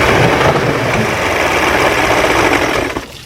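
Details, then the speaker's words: Two-stroke outboard running in a water bucket after a new water pump install, oil mix very rich: loud, uneven popping with no steady beat before dying away; running rough, but water pump confirmed working. "Of course it's not running like it should. However, this does mean that I installed the water pump correctly. It does mean that this engine can be a running engine."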